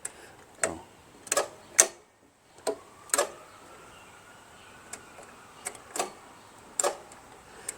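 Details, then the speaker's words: Toro Wheel Horse 616Z zero-turn mower with Onan opposed-twin engine, non-running, seat safety switch engaged; scattered sharp single clicks, no engine turning over: solenoid clicks but starter won't crank, cause suspected, not confirmed. "it sounds like the solenoid works you know well well we'll look into it"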